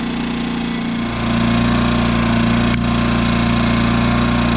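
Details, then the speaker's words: Brand-new Yamaha EF2200iS inverter generator idling on eco mode after two days' use: engine note steps up and louder as speed hunts, surging but less than before; stepper motor lacked a stop at the idle screw, fixed by turning it 1.5 turns in. "okay guys so the searching i've got it's surging now but not as bad as it was"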